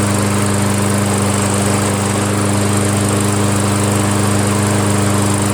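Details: Toro Wheelhorse 1238XL lawn tractor running after the slow-cranking starter was replaced with a used newer-style unit: strong, even, steady buzz with no surging, sputter or misses; the engine sounds healthy.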